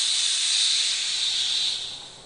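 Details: Daystate Airwolf .25 pre-charged air rifle filled to 200 bar (3,000 PSI tank): sharp high-pitched hiss holding steady then tailing off over two seconds, normal bleed of line pressure before removing the airline.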